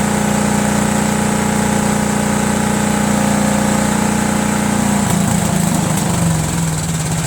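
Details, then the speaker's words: Cub Cadet lawn tractor with a Kohler Command horizontal single, about 55°F: steady drone that wavers and sags as if fuel-starved; mechanical fuel pump with a worn actuator barely pulsing, runs only on 3/4 choke, carburetor also suspect. "so I think it's a combination of a fuel pump not working and also carburetor may still be kind of funky you know I'm saying but because it runs well when it's on 3/4 choke so once you put it to run it wants to stall"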